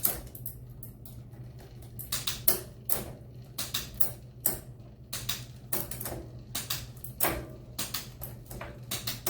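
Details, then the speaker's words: Mountain bike with SRAM GX Eagle drivetrain running a SunRace 51-tooth cassette, shifting; crisp separate clicks across the cogs over a quiet freewheel hum, no grinding or chatter, smooth shifting. "This is the best I can do to get some video footage of it shifting. But here we go. You guys can hear that, it's nice and smooth."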